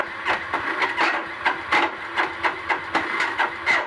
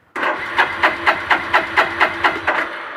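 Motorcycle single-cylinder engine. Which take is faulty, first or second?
first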